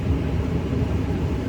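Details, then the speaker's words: 2009 Lincoln Town Car, ignition on, blower running even with the climate control module switched off: steady loud rushing fan holding one full-speed pitch, never easing; climate module self-test shows no codes; blower stuck at full speed. "okay so as you can see I can turn on this control model and I can turn it off but the blower motor will never go off as soon as the ignition key is a throne position it starts flowing"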